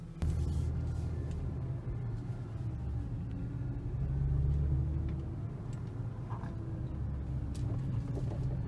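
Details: 2012 Audi S4 B8, 80K miles. Slow-speed driving with low road rumble, occasional sharp knocks and brief creaky squeaks from the front, on steering and on bumpy roads at 25-30 mph. Strut mounts, upper control arms and subframe bolts were already done; the cause is undiagnosed.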